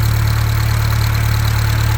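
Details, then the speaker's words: Rebuilt Atomic 4 marine engine, previously assembled with mastic instead of gaskets and now rebuilt with gaskets, on test run: smooth, even low hum at idle with no knocks or misses; alternator putting out about 14 volts. "you can also hear how smooth that is just really smooth"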